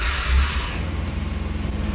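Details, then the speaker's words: 1997 Fiat Barchetta cranking on a battery booster pack: hiss, then fast rhythmic cranking pulses with a faint thin squeak from the starter motor; starter squeak, not judged serious. "of a squeak, but that's the starter motor. So, not bad. Doesn't sound too bad actually."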